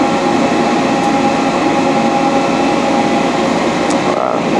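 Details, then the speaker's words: Large pre-owned Dainichi Model H lathe with DC drive running under a light cut with the feed on, spindle barely loaded: steady, even hum with a faint constant tone, gears not grinding, no knocks or chatter. Normal smooth running. "gears are not grinding in really good conditions very low our machine we're just taking a little cut it's not even loading the spindle at all"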